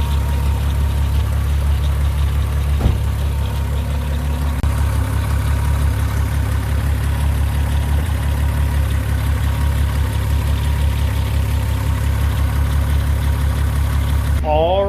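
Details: 2002 VW Golf VR6 GTI 2.8L idling after an AMSOIL engine flush had been added, before-and-after reference; a steady, smooth low idle with an even beat and no misses or knocks, running healthy.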